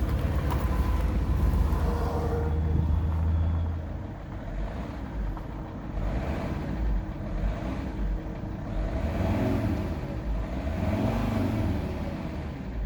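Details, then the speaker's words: Alfa Romeo 159 2.4, engine running, recorded from the driver's side: low uneven tapping knock over the engine, louder on the right side; cause unknown. "This is the right side of the car, and I hear the noise. It's more loud on this side."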